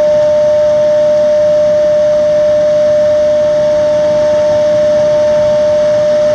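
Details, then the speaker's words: Xeikon 5000/6000 drum refinishing machine, recently repaired with new belts and gears: loud, pure, unbroken ringing tone holding level as the aluminum drum sings like a bell mid-pass while fused toner is sanded off, normal. "Now, right about in the middle here, it'll start singing. Take you a few passes to get out all the fused on toner."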